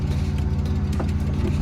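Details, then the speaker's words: Abandoned 1993 BMW E36 M3 on an early run after purchase: a low drone with an uneven, shaky pulse that never settles, running ragged like a misfire at idle. It later smoothed out on its own. "Oh yeah. Yeah, she's ragged."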